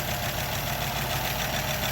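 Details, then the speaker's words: 1936 Buick Century 320ci straight-eight idling after exhaust manifold repair, not run in 3–4 weeks: smooth idle with a faint fast tapping over the exhaust note; the owner hears lifters/valves needing adjustment, unlashed for perhaps 50 years. "Of course, you can hear the lifters, the valves. That's another project. I got to get in there and adjust those valves."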